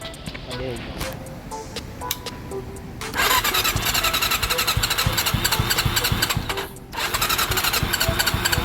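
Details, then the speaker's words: Honda CB400 revived after long storage with rusted head and valves; fast steady tick from the head over idle, owner first suspected tensioner or chain guide, then found valve clearances had grown; excessive valve clearance. "Lakas nasa ibabaw natin natin yung tunog na yan putik na yan oh. So ito na nga ah nag-valve clearance ako putaan lumaki yung mga valve clearance nito."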